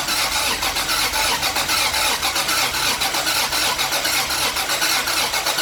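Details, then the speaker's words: 1977 Toyota Celica RA28 with 1G-GTE swap, first start, intercooler not connected: uneven choppy exhaust pulses, about one stumble a second, rough hissing, missing on some cylinders until given gas; misfire, rough running. "it was really rough initially you could hear like it was missing like missing a few cylinders and stuff"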